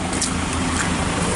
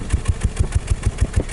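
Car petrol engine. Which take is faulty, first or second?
second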